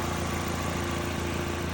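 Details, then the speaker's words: 2005 Toyota Corolla after AC compressor bearing replacement that cured a chirping noise; steady, even idle with A/C running, a faint constant hum and no chirp or squeal from the compressor. "All right, so we got the compressor put back together, and we got it all back installed. And if you hear it, sounds pretty normal."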